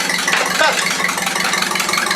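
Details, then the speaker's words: Atomic 4 boat engine running: loud, crisp, evenly pulsing exhaust with no misses or knocks; runs like it's supposed to. "holy crap runs like exactly because it's supposed to like a car"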